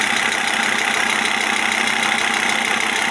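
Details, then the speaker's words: Audi A6 C4 2.5 turbo diesel, warm at about 50°: light regular tick about three times a second over idle clatter, coming and going, near the injection pump; owner unsure whether pump or injection equipment, turbo worn and smoking. "проблема в чём появляется звук в этом месте ГТО то ли аппаратура сама Толи насос вот непонятно что это за звук он бывает появляется бывает опять пропадает"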